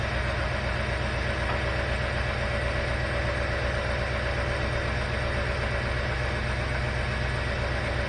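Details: 1968 Rolls-Royce Silver Shadow convertible (Corniche) with a replacement Chevy 350 V8, swapped in after the previous 350 cracked its block: deep, even idle with a steady low burble and no knocks or misses. Normal idle.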